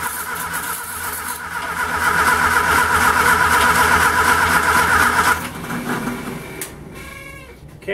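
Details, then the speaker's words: Homemade 200 A DC portable welder (WWII aircraft generator driven by a 1946 Austin Dorset four-cylinder pushrod engine), choke on, with gasoline poured into the carburettor: even cranking at about four turns a second with no firing, then it stops; owner suspects no spark. "looks like we don't have any spark so uh I think I'm going to go ahead and um build my wheels anyways"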